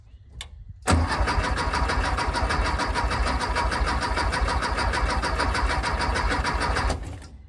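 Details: Long-sitting 1974 VW Thing with automatic choke, cranked to build oil pressure: steady, even starter cranking at about 200 beats a minute for six seconds with no firing; turns over but won't start, points suspected to need cleaning.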